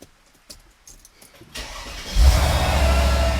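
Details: Mercedes SL55 AMG with a newly installed AC compressor, before the AC recharge: the starter whirs briefly, then it settles into a smooth, even idle with no ticking or clinking. It is a healthy start.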